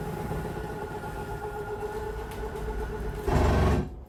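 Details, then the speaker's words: 2023 Forest River Rockwood Ultra Lite 2608BS slide one extending: a steady motor whine for about three seconds, then a short loud gear-grinding rumble before it stops, which is normal and signals full extension. "you hear that gear grinding noise you know you were going to be fully extended"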